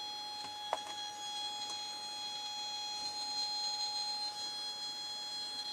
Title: Nokia Lumia 1020 Camera Squeaky Sound